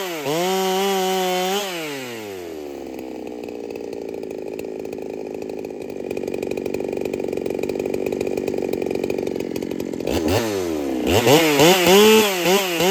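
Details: Ported Holtzfforma 395 two-stroke chainsaw after build changes: screams, bogs and sags into the cut, then clears; cut speed about unchanged, owner feels it runs a bit worse; rings may need seating, unconfirmed.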